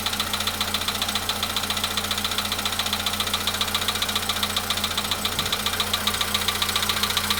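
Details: VW Polo Sedan at 93,000 km, cold start idle: sharp, steady tick-knock about 146 per minute riding over the engine; owner calls the knock very strange, source unclear.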